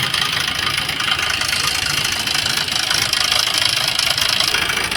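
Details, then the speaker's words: Maruti Suzuki Swift diesel, about 154,000 km, idling with a loud, harsh metallic clatter; mechanic suspects the timing kit (timing chain), with rocker noise not yet ruled out before opening the engine. "तो जो आवाज आ रहा है तो अपने को इसमें इसका टाइमिंग किट का साउंड लग रहा है"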